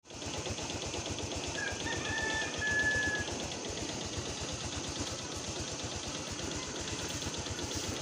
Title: maingay na makina ng motor. piston slap lang yan watch before and after video